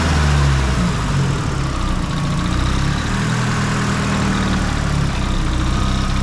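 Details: Nissan S15 SR20 with a Garrett T28 turbo, after turbo gasket replacement following a track day: a steady, even, quiet low idle with no ticking or puffing from the manifold, the exhaust leak gone.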